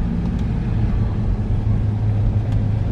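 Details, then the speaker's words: Car front wheel after removing a tiny stone caught in the brake that caused a bad noise when turning on a long Scotland road trip; wheel now gives only a slight brake-pad drag on the disc, no nasty noise. "perfect obviously there is a slight noise but that's just from the brake pad dragging on the disc but no no nasty noise now"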